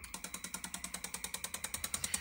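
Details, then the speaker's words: Alfa Romeo V6 Bosch L-Jetronic on bench, ECU fed 30 Hz signal simulating idle, rev limiter resistor bypassed: crisp even injector clicking about eight per second, duty cycle changing with airflow meter; normal injector operation. "you can hear that fuel injector clicking away so it's kind of cool when you move the airflow meter you can hear the duty cycle of the injector change"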